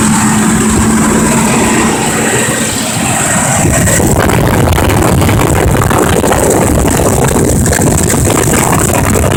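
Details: 2005 Ford Expedition 5.4L Triton V8 with a failing transmission forward clutch: rough idle after startup, then a rev, with fast irregular clacking from the engine's top end; valve train clatter, possibly lifter or cam phaser.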